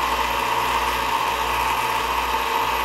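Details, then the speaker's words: Old antenna rotor, about 25–30 years old, after teardown and greasing of its gears: steady, even motor hum with light gear whir, no catching or grinding, quieter and faster than before; smooth rotor rotation. "we've got it all back together and not only does it sound smoother but I think it's actually turning faster it's still noisy but it's you know it's a big engine and it's big metal gears but it's nowhere near as noisy as it was and it's much smoother"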